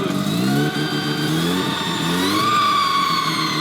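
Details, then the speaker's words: Car with new turbo on stock parts, revved to about 1800 rpm: loud rush of intake air and rising whistle, lots of air spraying out, no boost building. "Now, when we rev the car, it's not building boost, that's not got boost."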